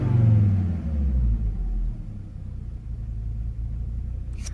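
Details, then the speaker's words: Volvo S60R: revs up then sags into uneven, lumpy running with frequent irregular pops, had just stalled; owner suspects bad mass airflow sensor, unconfirmed. "Wonder if we have a bad mass airflow sensor. That's why it's running so bad. Because it's popping a lot."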